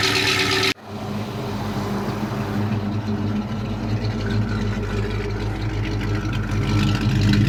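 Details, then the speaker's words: Old Ford with 199 horsepower engine, first start in about nine months after pumping out bad gas: catches straight away, smooth even rumble, no knocks or misses; healthy running. "get ready for the best-sounding hundred ninety nine horsepower on youtube"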